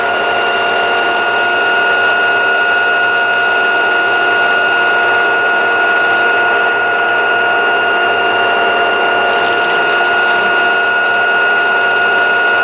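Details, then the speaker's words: LG washing machine at about 1000 rpm spin, after fixing a drain hose that knocked the cabinet: smooth high spin with a steady hum and no thumping or knocking; spins normally. "1.00 оборотов. Кажется, что сейчас взлетит машинка, но никаких звуков нет."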